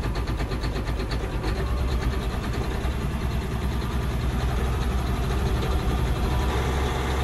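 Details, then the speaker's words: John Deere 9530 tractor, 13.5 L diesel with fuel pressure fault code, raised to about 1350 rpm where pilot injection cuts off: steady raised idle with even, unbroken clatter and no stumble; smooth, normal fast idle, rough just below. "There you go. And now it's as smooth as could be."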